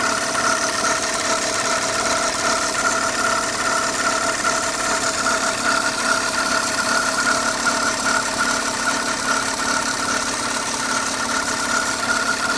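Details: 2005 Audi A6 C6 engine at steady idle with an unexplained foreign noise: a high-pitched ring and a light regular tick about two and a half times a second, cause unknown.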